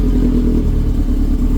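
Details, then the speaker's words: Subaru after bending its titanium exhaust back from an earlier accident so it no longer hits the differential: deep even exhaust rumble with no rattle or clank; exhaust now sounds normal. "and I think I took care of a possible clanking that we had before. Much better fitment."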